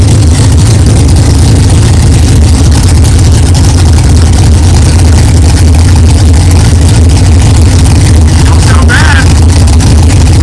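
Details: 1964 Chevelle with freshly built 383 stroker V8, first fire-up after 8-month build; 63 lb oil pressure, 11° timing, not yet warm. Deep, loud, even lope, no knocks or clatter, good oil pressure; normal idle.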